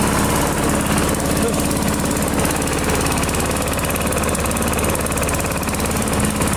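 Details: AL-KO Silver 52B mower with a Briggs & Stratton 675 series engine, run at half throttle without its air cleaner to warm the oil before draining: constant, rattle-free drone with no surging or misses. Runs normally.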